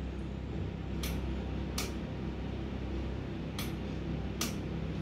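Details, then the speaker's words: Removed oil pump solenoid valve bench-tested on a 14 V supply, switched on and off; four dull clicks in pairs lacking a crisp snap, plunger goes up and stays stuck in its bore; sticking solenoid valve. "When I give electricity, see what's gonna happen again. Now there is no electricity. It went up, it stuck there, and didn't return back."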